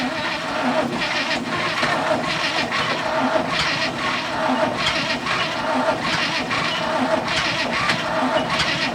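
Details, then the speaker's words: 1966 International ACCO truck petrol V8 with 2-barrel Holley, long sat, checked over and refilled with water: steady slow cranking with even compression pulses that never catch; cranks but won't start despite having spark, owner thinks flooded. "She didn't have any problems. Had spark, just wouldn't fire. Old fuel too, I suppose."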